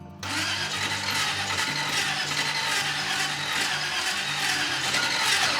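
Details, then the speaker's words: Packard custom restoration, first start of the engine with exotic dual carburetors: sluggish, labored, uneven cranking catches briefly and dies. The starter sounds funny and turns slowly; cause not confirmed, likely needs tuning. "Yeah. It's cranking kind of slow. The starter sounds funny. It's not breathing life."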